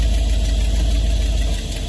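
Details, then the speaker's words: 1978 Dodge RV camper, engine warmed up at idle, now in Drive under load; transmission suspected low on fluid from a drained torque converter and previously wouldn't pull; low, even rumble with only a slight sag, no knocks or slipping. "put in a neutral we let it sit in idle for a little while and now I want you to hear it so it's under load it's loaded up on Drive"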